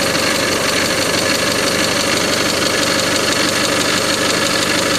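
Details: Mazda 626 FS four-cylinder at first startup after reinstalling the IAC and throttle body, idling with AC on; dull regular knock about twice a second from inside the engine, not belts. Later found 50% loss in cylinder 3 from a bad exhaust valve, suspected knock source.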